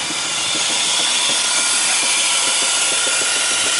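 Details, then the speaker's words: 2000 Chrysler 300M heard under the hood at idle: harsh, irregular knocking about three to four a second over a loud hissy idle. The car shakes, fuel trims run negative, and the cause is not yet found. "It's not a good sound. It's not a good sound at all."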